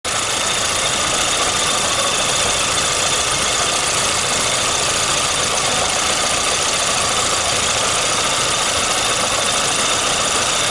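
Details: Intermittent light, uneven tapping knock of unknown origin over a steady idle, a few taps a second, on a VAZ 2115 1.5i (2111) engine; knocking starts as the engine warms, recorded at 60–70 °C coolant temperature.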